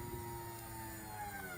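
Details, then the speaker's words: Nissan 240SX with VH45 V8 swap and new engine harness: fuel pump connector jumpered signal to positive, faint steady high hum at one pitch as the electric fuel pump runs. "So if I bridge top to bottom with the jumper, we should get fuel pump. Or a fire. There's fuel pump."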